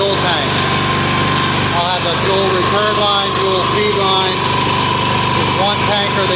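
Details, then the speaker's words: Hot Amazon 186FA diesel idling on filtered used synthetic motor oil fuel, no longer smoking; even, steady clatter with birds chirping, no misses or hunting. Normal idle. "see how it's not smoking now it's not smoking because it's hot and it's running motoroil"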